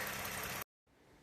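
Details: 2009 Lexus RX 350, 3.5 L V6 2GR-FE, after water pump replacement (old pump was noisy and leaking), warm with thermostat just opened: smooth, even idle hum with no whine, rumble or ticking; idles cleanly.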